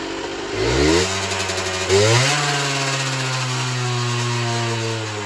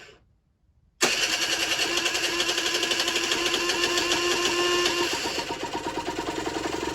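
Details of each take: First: Generic Trigger SM 50cc two-stroke on a temporary fuel tub with a stiff temporary throttle cable: blips, then the idle creeps up and hangs high, uneven underneath. Owner suspects an air leak, later found around the intake manifold; main and pilot jets were also blocked. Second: Generic Trigger SM 50cc two-stroke after cleaning blocked main and pilot jets, old stiff throttle cable fitted temporarily, temporary fuel tub: fires after a second of quiet, buzzy crackly run at fast idle; running fine.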